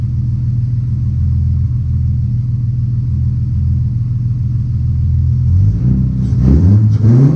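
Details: Ford-powered 4.0L Mercedes W203 C200 with custom 3" centre exhaust, first-start session: steady, even, deep idle, then clean revs that climb and drop smoothly. The engine runs healthy.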